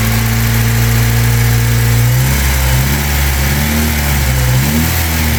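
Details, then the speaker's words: 1997 Honda Civic, 220,000 miles, after oil change following running with only half a quart of oil, which had caused rod knock on revving: engine revs smoothly with no knock now; durability uncertain. "But I don't hear the rod knocking anymore, so only time will tell, I guess."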